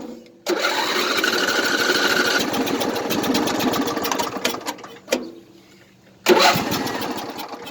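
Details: Craftsman LT1000 riding mower with a hard-starting small engine: it catches and runs a few seconds, fades out and quits, then fires again after a pause.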